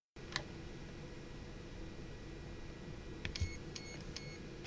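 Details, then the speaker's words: Furitek Momentum brushless sensorless ESC for 1/27–1/28 Mini-Z RC car, throttle calibration with button held at battery plug-in: a few short high beeps over faint hum confirming calibration. "Once you hear the beeping, let go of the button. Press the button once to register the midpoint."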